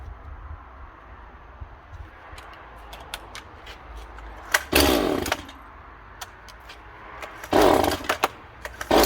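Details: Stihl MS181C two-stroke chainsaw running after a carburetor rebuild with a cheap kit on its aftermarket carb (before repair it ran rough, low on power, then wouldn't start). Steady low idle, two clean blips to full throttle dropping back smoothly; running normally.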